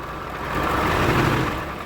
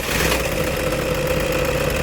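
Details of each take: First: Diesel vehicle at idle after starting, before water pump removal (removal requires taking off timing belt, camshaft pulley cover, alternator, belt tensioner and idler pulley): steady idle with a rough upper-midrange hum, clearly noisy; water pump bearing noise. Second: Toyota Innova diesel idling after water pump replacement (timing removed, old fan-motor stud reused on new pump); smooth, even idle with usual light clatter, no squeal or knock, sounds healthy.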